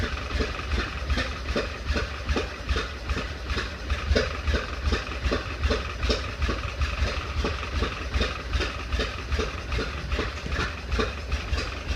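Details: 1931 Ford Model A after 10+ years stored, weak battery, maybe flooded, timing fully advanced, in neutral; slow rough idle with pops back through carburetor two or three a second, then dies; owner suspects sticking intake valve, unconfirmed.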